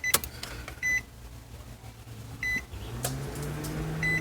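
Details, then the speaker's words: 2009 Nissan Versa, about 29,000 miles, cold, key on with engine not started: chime beeps over a steady whoosh of the radiator fan at high speed; it cranks but won't start; two ECU connector pins weren't making contact. "And you hear that? That's the fan. The fan is not supposed to run yet cuz I haven't even start the uh I haven't even start the uh the engine."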